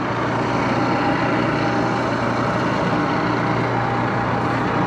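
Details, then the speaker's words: 1941 Axelson 24-speed lathe, sat a few years, running with the direct-drive motor to circulate headstock oil: smooth, even motor and gear hum with a steady low drone and no knocks or rattles. It is getting quieter with use. Normal running. "okay that got the motor going of course the uh axle sound is direct drive"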